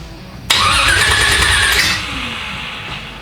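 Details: Rebuilt 355 small-block Chevy V8 in an El Camino, first start with new spark plugs: starter whirs briefly, then it catches and settles into a rough, loud idle; the engine fires and runs.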